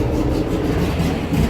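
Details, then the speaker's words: VW Beetle Type 1 engine fitted with a Bosch starter from a Porsche 914, replacing one that sounded grungy like a Chevy: a strong, even crank with a steady rhythm and no grinding or hesitation; normal starter cranking. "hey that sounded like it used to with with the other box starter that I had cuz the other one sounded like I sort of got it sounded like what you call it like a Chevy"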